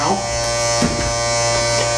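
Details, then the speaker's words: RCA SJT 400 CED player opened up, mechanism not self-ejecting: steady flat electric buzz with no movement; loading motor straining against a bad drive belt. Owner believes the unit was dropped. "okay so the mechanism is not working right now"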